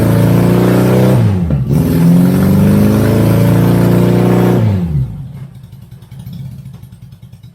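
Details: 1983 Honda GL1100 Goldwing barn find, old gas dealt with, fed fresh gas through a new filter: crisp revs climb and fall back smoothly with an even beat, flat-four pulling cleanly on all cylinders; normal running.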